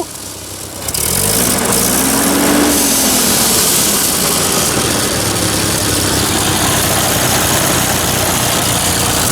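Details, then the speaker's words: Old tractor's first run, shifted into high range: a rough, uneven idle of about four beats a second swells then sags as the throttle is eased open. Owner suspects the governor or lubrication not getting in; cause unconfirmed, no blue smoke. "try opening it up a little bit oh god that sounds awful in there whoa"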